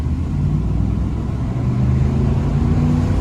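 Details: 1999 Cadillac DeVille d'Elegance Northstar V8, sat over 2 years, on the road at 94°F under acceleration: deep, smooth rumble pulling evenly, no knocks or ticks over road noise; engine sounds healthy.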